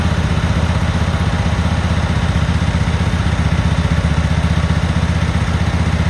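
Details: Cub Cadet Super 2284 lawn tractor with electrical issues, very dirty, missing bolts, rear cover off. On a test fire the engine thumps steadily and evenly at about four beats a second with no misses or stumbles, holding a smooth idle.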